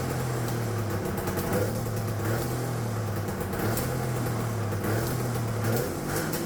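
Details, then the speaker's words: Turbocharged two-stroke triple on custom EFI (Spartan 2.0 ECU), no water in it, after fixing a vacuum leak: steady pitch with choppy crackles as limiter cuts in and out; two-step launch limiter working. "that sounded freaking sweet all righty guys well I'm G to end the video here this took forever to get out but uh you guys heard the two-step as as promised"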